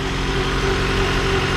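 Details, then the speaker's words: 1997-2001 Honda CR-V with newly replaced engine, no exhaust or catalytic converter, no check engine lights: loud, raw but steady idle with an even low drone, no stumble or shake; normal idle, just unmuffled. "So obviously this thing's a little bit loud, guys. It doesn't have an exhaust or a cat, so we're gonna have to send it off to get that done. But man, she is running smooth."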